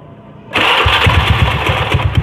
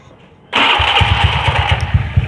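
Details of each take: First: Carbureted Honda Beat automatic scooter, noisy at idle: fast idle with a steady, regular low knock from a loose magneto fan boss. After the boss was fixed, the engine ran smooth with no knocking. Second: Honda Beat carburetor scooter after repair, idling smooth and even after startup with no rough scraping or rattle; earlier rough noise was traced to a damaged magneto cooling fan, fixed with ring spacers.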